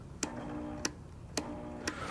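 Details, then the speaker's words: Late-1990s Sears Craftsman belt/disc sander model 137.215360, switched on: motor buzzes steadily, belt tries to move but won't spin up, then clicks off; fixed by replacing defective electrolytic start capacitor. "if we turn this guy on and if you get close enough here you can kind of hear it's kind of buzzing you can watch this belt here it'll start to try and"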